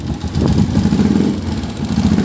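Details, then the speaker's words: Honda TMX 125 pushrod single at 3,847 km, idling before valve adjustment: light quick ticking over rough idle; valve clearance grown too wide, normal on new engines and harmless, fixed by adjusting clearance. "natural po yan ha normal pong nangyayari yan na lumalaki po yung valve clearance natin So Hwag niyo pong ikabahala yung nagti Hindi po to masama sa motor dahil push Rod type engine po yung ating motor"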